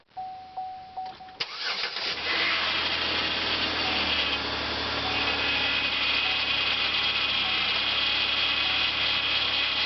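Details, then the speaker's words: 2006 Chevrolet Impala LTZ 3.9L V6 after steering rack replacement: loud steady power steering pump whine at idle from low fluid and air bleeding out of the system, expected to go away. "pinion all right that noise is just with it being low on fluid and it's working itself out that noise will go away you see a lot of bubbles that's the air the air is bleeding out of the system there"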